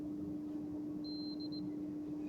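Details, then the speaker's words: Dodge Challenger parasitic battery drain test, clamp meter on battery cable while touching one of two 20 A fuses; steady low tester hum with high beep burst, that circuit drawing current, about .07–.08 reading (~90 mA), too high. "that one is drawing some current but just check down here and it's actually drop right off to .05 .07 so at .07 .08 that's like uh 90 milliamp that's a little bit too high"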